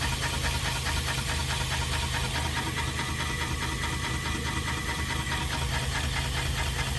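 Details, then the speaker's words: BMW 318 E90 after differential change: steady drivetrain rumble with a loose, uneven knock about twice a second as wheels turn; driveshaft flange wobbles from a missing bolt. "I think it's can start Bol missing but the main thing is see how it's not straight but that side dead straight see that dead straight there wobbling a little bit there"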